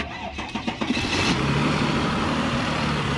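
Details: Mercedes C300 with a failed steering lock, its ignition forced on and the starter relay bridged by hand; the starter whirs briefly and the engine catches after about a second, settling into a steady, even idle with no misses, a normal start.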